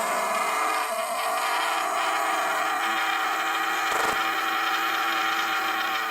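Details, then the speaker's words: Tiny 3 V DC motor run at 16 volts to destroy it: high, steady buzzing whine with a rough edge, no load changes; motor overdriven and already near failure. "Sounds like it's kind of already on its last thing."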